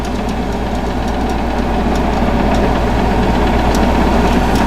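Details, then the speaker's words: Goldstar 12,000 BTU window air conditioner from about 2004-2005, after fan motor replacement for bad bearings and cleaning: steady low hum, even fan whoosh, no grinding or rattle; way quieter than before, normal running. "hopefully this gets it back you know you sit back working again long toes it's quiet vans quiet way quieter than what then it was"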